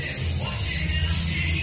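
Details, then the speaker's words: Sharp SG 220 stereo after repair of popping and crackling noise, playing music steadily and cleanly with full bass and no pops, crackle or contact noise; left channel slightly more muffled than right. "você vai reparar que não tem nenhum chatinho nenhum Riquinho nenhuma contato nada como você saiu da Caixa"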